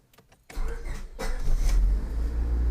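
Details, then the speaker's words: 2000 Honda Civic LX, D16 SOHC engine, automatic, with an ongoing starter problem; the key switch was already replaced without fixing it. Halting, uneven, intermittent cranking before the engine catches and settles to a low idle: faulty starter, before replacement. "So it started, but you can hear how it's kind of intermittent. It's almost like it's the key switch, but we have replaced it and that did not fix it."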